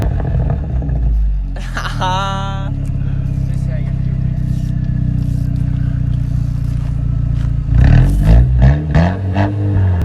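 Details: Straight-piped 2008 Audi A4 2.0T cold start: very loud open exhaust settling into a lumpy uneven idle with stumbles; misfire from a bad fuel injector.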